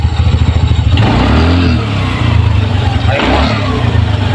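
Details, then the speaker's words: Ntorq scooter at 2216 km, after replacing the noisy cam chain and lifter: the engine idles with a steady, even beat and revs cleanly with no chain rattle or ticking; the noise is gone and it runs normally. "एकदम एकदम sound एकदम मखन हो गया चलाने पर भी मस्त आ रहा है"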